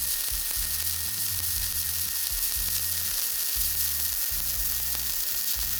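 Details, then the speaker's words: HTP dual-voltage all-in-one welder, regular standard stick arc, first weld, 1/4-inch material, 7018 rod, about 120 amps; steady crackle like bacon frying, even and unbroken with no popping or sputter, a smooth stable arc. "This is just regular standard arc welding right here. This is the first one we did. You can see that's a nice smooth buttery arc."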